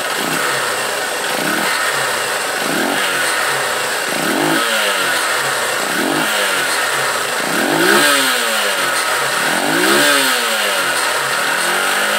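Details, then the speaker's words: Honda Titan 150 after repair, carburetor jet changed to 115, previously misfiring with knocking noise: revs climb and fall smoothly about every two seconds, no stumble, pop or hunting, earlier knock gone; normal revving. "olha como ela levanta o giro suave antes ela dava aquele toque toque tá resolvido tudo no"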